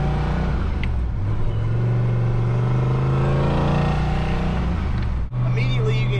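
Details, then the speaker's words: Turbo Fox Body Mustang (On3 turbo kit, SVE 170 heads, Trick Flow stage one cam, otherwise stock), driven after a spark plug fix: deep V8 drone swells louder and rougher as the exhaust cutout opens under only light throttle. "cutout opening on the car like with just a little bit of throttle input you can hear it"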